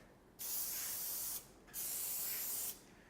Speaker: so you should be able to hear that real loud hissing sound from the gun